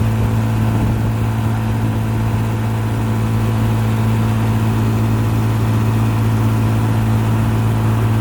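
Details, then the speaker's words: 1955 Johnson QD-16 10 hp outboard, rebuilt with new condensers, carburetor kit, water pump and seals, running in reverse: steady, even low hum with constant firing note, no knocks or rattles; normal running. "Get out of the wind, I can hear the RPMs pick up a little bit."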